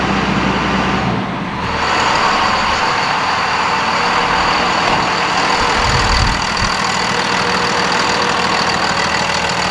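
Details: 2nd Gen Dodge Cummins 24-valve diesel, just after installing an S&B air filter; steady diesel clatter at idle with smooth even rhythm and faint whoosh on top; idling normally.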